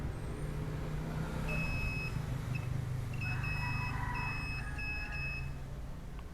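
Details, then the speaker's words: Epson L3110 printer with power, ink and paper lights blinking together; multimeter continuity test on a bent, folded flex cable: the buzzer chirps in broken on-off bursts over a low hum, one trace intermittently open, so the flex cable gets replaced. "ini satu yang putus ya satu jalur putus kadang dia tersambung kadang juga tidak"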